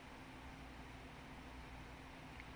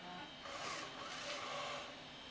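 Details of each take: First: Macintosh IIci power supply after replacing a transistor, diodes and a capacitor: even, steady fan whoosh with faint low hum; the earlier hissing, screaming digital hashing noise from the supply is gone, running clean. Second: It sounds like ass, but it ejected it. Now it's an aftermarket gear, so I'm not surprised.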